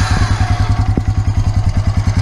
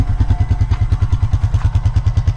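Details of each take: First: 2003 Honda Rancher ES 350 4x4 ATV, about 200 miles, valves never adjusted: even single-cylinder idle thump, about nine beats a second, with a faint light tick from excessive valve clearance; valves due for adjustment. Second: 2003 Honda Rancher 350 ATV with about 243 miles, first start after a valve adjustment, started without any throttle. Even, steady thumping idle at about three beats a second, no ticking; normal idle, valve noise gone.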